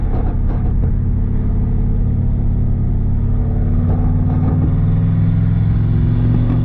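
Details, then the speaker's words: Turbo Chevrolet Silverado driving after rear gear swap and Caltracs install: deep steady drivetrain rumble rising smoothly with road speed, no gear whine or howl; oil pressure 30 psi at hot idle, about 200°; rear differential quiet. "Gear's quiet. Yeah, sounds good. That gear's far so good."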